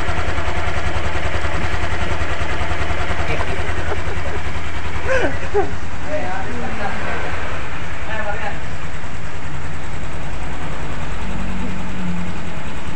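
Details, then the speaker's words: 2022 Honda Beat Deluxe scooter, after a full engine rebuild replacing the crankshaft bearing that caused a rough noise: steady, even low idle with no knocking or rattle; now smooth, unlike the rough sound before. "Nah ini untuk motornya sudah halus sekali ya guys ya suaranya berbeda dengan sebelumnya ya kasar sekali"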